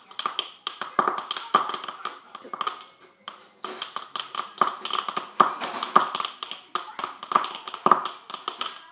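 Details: Frozen iMac screen: sharp, dry pops and clicks in uneven bursts about two per second; it happens after days of normal use and is cleared by a restart; hard drive or RAM are suspected.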